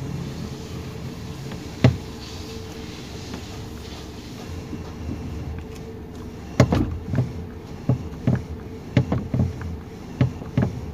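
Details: 2019 Toyota Rush, engine idling while steering turned left and right: sharp knocking clicks from under the steering column, also over speed bumps; suspension fine, cause a loose steering column bolt and bushing.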